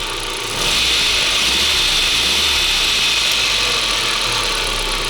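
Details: 1998 VW Passat B5, 480,000 km, first start after oil change to Polytron: steady idle with a fast, light metallic rattle about three ticks a second; owner suspects timing chain noise despite new guides, cause unclear.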